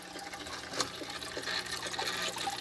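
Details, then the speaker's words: New aquarium filter in a tetra tank just after a water change: steady trickling and splashing water with faint, intermittent high squeaky tones; filter making a weird, annoying noise, cause unknown. "the new filter is making a weird noise"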